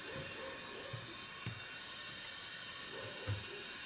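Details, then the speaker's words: VAZ Lada Kalina leak-down test, cylinder at top dead centre with both valves closed, 75% leakage on one cylinder; quiet steady air hiss changing when cylinder 3 is covered, small overheated head gasket breach starting between cylinders 2 and 3. "Закрываю третий цилиндр пальцем. Слышно? Звук меняется. Здесь еще похожая прокладка между вторым и третьим. Перегрела. Прорыв небольшой."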